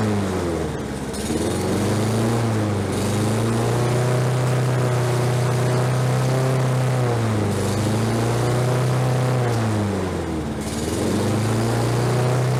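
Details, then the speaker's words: Roadside-discarded Lawn-Boy 21-inch self-propelled walk-behind mower, revived on fresh gas, low compression felt: single-cylinder drone holding speed with a slight rise and fall now and then; now running normally. "like i say this is out on the side of the road with the trash and it runs now"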